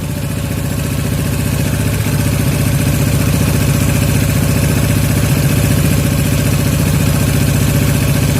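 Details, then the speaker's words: Yamaha Jupiter MX 135 carburetor setting, air screw tuned for highest idle: steady single-cylinder putter holding a fast even idle, revs still falling too slowly after throttle release; air screw adjusted further. "Jadi masih telat juga ya turunnya, kita kurangi lagi."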